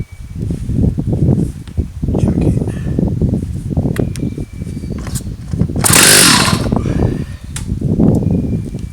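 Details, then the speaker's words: Stihl 084 AV chainsaw, about 35 years old, recovered from the tip, freshly fuelled with good compression; uneven sputtering pulls with a sharp pop as it backfires and kicks back instead of catching, before a carburetor tune-up. "Backfires, it just about rips your hand off. She's got some compression."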